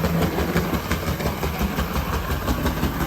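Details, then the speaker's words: On30 steam locomotive model (runs on HO gauge track), small motor whirring with a repeating clunk about three per second from a big crack in the gear; new gear needed. "there's a big crack in the gear I reckon it full speed you won't even notice let's just pretend it's the chuff chuff sound"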